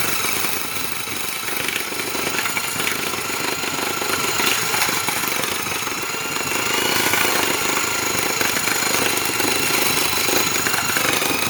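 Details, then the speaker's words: Rockwell/Porter-Cable orbital Tiger Saw reciprocating saw, cutting test with an aggressive coarse blade: loud, rough chattering cut, the motor whine sagging and recovering as the blade bites. The motor is bogging under load. "yeah hold up there so you could actually hear bogging down because of how aggressive this blade was but it did sit pretty well surprisingly enough"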